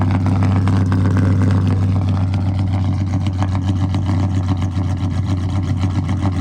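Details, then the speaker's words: Dodge Charger SRT8 with a 426 Hemi V8 at idle after a broken axle and new wheels and tires: a deep, lumpy, choppy cam lope, even and strong with no blow-by; a healthy, good-running engine. "no blow by baby it's a good running engine right"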